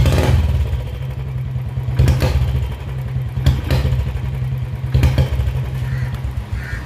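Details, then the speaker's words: Royal Enfield Bullet 350 BS4 single misfiring, dying on slight throttle and prone to heating: low, lumpy thump with uneven beats and surges every second or so; faulty CDI unit was the cause. "कि थोड़ा सा accelerator लेते ही गाड़ी मर जा रही है से इतनी ज्यादा निशान उसने और उसकी वजह से गाड़ियों पर हिट भी चलेगी"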